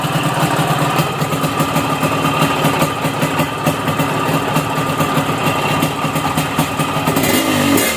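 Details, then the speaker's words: Small motorcycle carburetor, after adjusting to the lean ("dry") setting with standard engine: revs cleanly and freely, picking up quickly and dropping back to a steady idle; light, crisp engine sound. "Jadi kalau setelan kering itu Ringan banget suara mesinnya ya"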